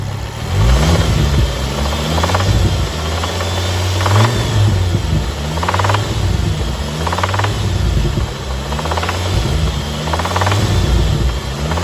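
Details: Ford Focus ST 225 Mk2 petrol engine revving with a heavy, deep knock under the rumble, recorded the day before the engine failed; main bearing failure, engine replaced.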